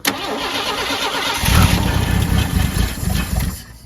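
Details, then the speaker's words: Mercury Zephyr Z7 GS Fox body, revived after 15 years in a field, carb rebuilt and gas poured in the bowl: runs rough a few seconds then dies repeatedly; fuel filter empty, failed mechanical fuel pump found. "So it's still doing the same thing. Starts up, dies, starts up, dies."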